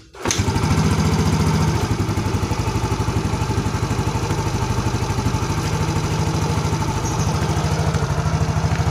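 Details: Yamaha Mio GT after repairing lost compression: engine catches and settles into a steady, even single-cylinder putter with no knocking or misfire; running normally.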